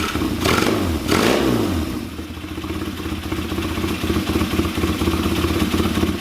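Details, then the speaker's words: KZ400 motorcycle, Mikuni VM30 carbs, idle jets raised from 20 to 35: after blips the idle stays uneven and lumpy, never smoothing out; running rich, sporadic idle got worse. "so I think personally it made it worse um Idol was way sporadic I couldn't really make it smooth itself out that seems like it's gotten way worse"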